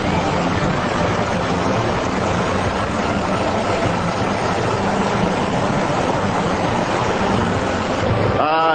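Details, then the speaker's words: 2006 Big Dog motorcycle, 117 cubic inch 1900cc V-twin, first fire-up in the factory run-in room, fresh engine being brought to heat: steady fast-idle roar, even unbroken exhaust note, no knocks; healthy, needs more heat cycles to run fully smooth. "Sounds like everything's good. Everything checking out? Yeah, it sounds pretty good so far. It usually goes through a couple more heat cycles before it runs real smooth, though."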